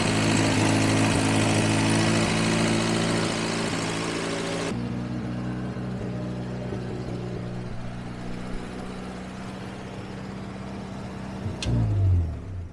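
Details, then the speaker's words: Grandpa's long-sitting 1954 Willys military Jeep, first start after revival with coolant, oil and fuel: old four-cylinder idles with a steady, even beat, brief throttle blip near the end, no knocks or misses; normal idle. "Got fuel. It don't get much easier than that. It's even gonna idle."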